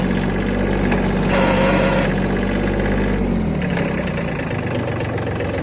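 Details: Kubota B7100 HST diesel at idle: a fast, uneven clatter about four times a second riding on a low rumble. Rattling noise from somewhere in the drivetrain; cause not identified.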